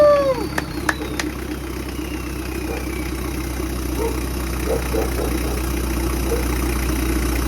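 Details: Toyota 1KZ-TE diesel, first start after reassembly with new injectors, cleaned intake manifold and throttle body, new turbo downpipe and oil return pipe, fresh 15W50 oil, fuel lines bled: sharp clicks then steady even diesel clatter; normal idle.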